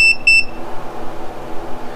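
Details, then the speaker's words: Mercury Thunderbolt 500 50 hp outboard, secondary timing set at wide-open throttle with the timing decal at 35 degrees: two short, sharp meter continuity beeps show the spark advance screw just touching at its set point. "Now, you can hear it beep. So I need to adjust that screw in until it's, you know, about there, right there."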